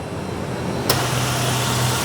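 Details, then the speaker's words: Mazda in Brisbane found running with almost no oil (leaking, maybe burning oil), just refilled to just over full line: engine catches into smooth even idle, very quiet, no ticking or knocking — normal idle after oil top-up. "oh wow now that is what I'm talking about now that's so quiet"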